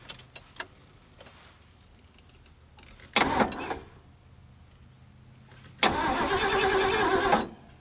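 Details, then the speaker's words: 1974 Ford Galaxie 500 that sat two decades and survived a tornado, first crank with a screwdriver in the ignition: two short bursts of steady, even starter churning with no dragging, clicking or grinding; the V8 spins over healthily. "sounds healthy perfect"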